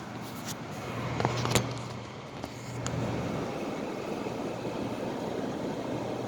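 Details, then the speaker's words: 2009 Haier window air conditioner, removed from window and cleaned at end of season, plugged in on fan-only low: low steady fan drone with scattered light ticks as the blower flicks tiny leaf pieces that couldn't be cleaned out; debris ticking in fan. "Alright, that's the low fan. You can hear it kicking around some tiny little pieces of leaf, but I couldn't really get those out good either."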